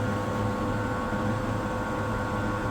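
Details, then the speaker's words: Old rusty, dust-caked Royal wall fan, single-speed reversible motor: steady rough drone with a constant hum and gritty edge as it runs up to speed; noisy motor, possibly dry bearings. "So let's try and turn it on. Quite a noisy motor,"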